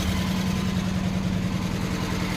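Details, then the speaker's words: 1973 Chrysler 440 V8 (New Yorker / Town and Country wagon) idling with a steady low rumble and a faint busy clatter on top: valve train noise. Oil light on and no oil at the top of the engine; a bad oil pump or wiped cam is suspected. "sounds like valve train doesn't it"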